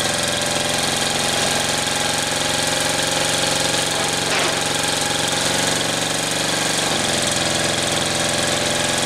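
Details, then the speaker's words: 1938 Caterpillar D13000 pony motor, first start attempt in years, fuel hooked up, good oil pressure: even steady churning about four beats a second with no firing; cranks but won't start, owner suspects injector pump making no pressure. "all right got it rolling over good better run a while uh oil pressure comes up good there's no problems there so i've got fuel out of here so our pump's working our injector pump's not i can't get pressure out of the pump and i'm not sure why"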